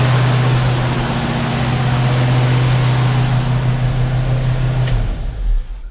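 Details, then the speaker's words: 1968 Ford Mustang 289 V8, first start after carburetor rebuild, fuel leaking at loose fuel filter connection: fast, even drone held well above normal idle for about five seconds before shutdown; high idle, owner suspects vacuum leak, unconfirmed. "And two, that idle seemed really high. Super high."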